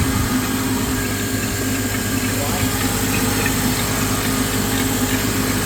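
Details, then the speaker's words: 2004 Honda Element from a salvage auction, freshly jump-started with a weak battery: a steady mid-pitched whine rides over the idle; power steering pump whine. "yeah you hear that power steering"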